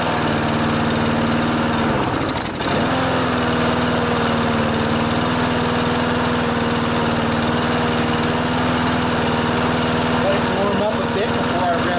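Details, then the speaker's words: Briggs & Stratton auto-choke lawnmower engine (Craftsman) with replacement aftermarket carburetor, throttle at full speed: settles at a flat drone instead of crisp high rev; not reaching full governed speed. "so you can hear on full speed it's not quite revving up as much as it should"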